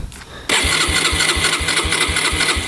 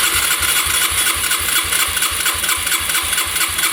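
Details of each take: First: 2011 Yamaha Raptor 125 quad that had been bogging, underpowered and not idling: the starter cranks steadily at about four compressions per second but it never fires, even with choke and throttle tried; it seems not to be getting fuel, cause unconfirmed. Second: 2011 Yamaha Raptor 125 that wouldn't start, compression test with throttle open: even starter cranking at about four strong puffs per second, reading over 170 psi; good compression, and spark is also good.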